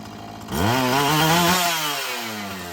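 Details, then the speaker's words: Husqvarna 445 chainsaw that bogged on throttle, restarted after richening the high-speed mixture, before cleaning and final tune: fires up and revs, pitch climbing then easing down smoothly. Running better; owner expects it to soften up. "It's getting better. I think it's going to soften up just fine."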